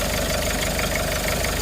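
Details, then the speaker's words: 1996 Mitsubishi Strada pickup, 2.5 turbo diesel, warm engine; starts easily and idles with a steady, even clatter, no misses, surging or puffing. Normal idle. "อื้อหือติดง่ายนะครับเดินนิ่งไม่มีหอบปั๊มสายนะครับ"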